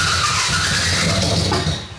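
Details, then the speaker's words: LS-swapped BMW E46, not run in over a year, rewired, about the tenth start attempt: rough stumbling cranking with a squeal that never catches cleanly; flooding itself, seen on the gauge, worse each attempt. "It's just flooding itself. We just watched it. Like we literally just watched it flood itself with a gauge."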